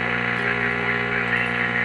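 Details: Restored vintage EICO 315 RF generator heard through an AM radio with its internal 400 Hz modulator switched off: steady, even hum with no tone riding on it; plain, healthy unmodulated carrier.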